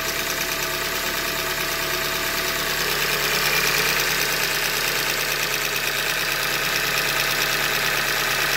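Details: 2015 Hyundai Elantra Limited, about 90K, idling with a hard, even knock about three times a second; short block failure from manufacturing defect, short block later replaced.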